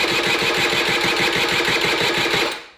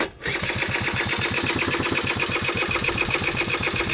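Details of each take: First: Honda Vision moped fitted with a race-tuned 125cc engine, battery a little flat: quick even starter chatter that never catches, then dies; cranks but won't start because the vacuum-fed fuel tap isn't delivering fuel to the carb. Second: Honda Vision moped with a race-tuned 125cc two-stroke AliExpress engine, new and needing running in, choke on, kickstarted: quick, even popping beat at steady revs with no misses or stumbles; caught and running cleanly, feels very powerful.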